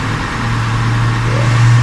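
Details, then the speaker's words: 2002 Honda Accord coupe V6 started after culprit D101 cable found, check engine light on; smooth, low, even idle with no clicks or misses; normal idle. "And we did. No clicking, no nothing. Nice, smooth."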